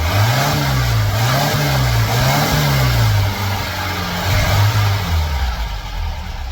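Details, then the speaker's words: Air-cooled VW flat-four rebuilt from parts, bench-run before fitting in a '58 Beetle: revs up and drops back repeatedly, pulling cleanly through each blip; runs fine but needs timing and carb tuning. "Well, I feel like that was a success. We managed to get this thing running. It'll take some fine tuning, but we can do that when we get it in the car."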